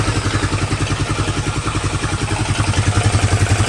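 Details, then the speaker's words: Rancher ATV engine rebuild, after new valve, with cam, timing chain, tensioner and lifters back in, running with drive shafts and coolant hoses disconnected: steady, even single-cylinder thump about 214 beats a minute, no ticking or clatter; much quieter idle. "motor is much quieter progress."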